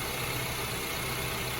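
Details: 2006-2011 Honda Civic 1.8 after alternator replacement with a remanufactured unit charging 14.1-14.2 V: smooth, constant idle with an even hum and a faint steady hiss, no ticks, knocks or surging; healthy idle.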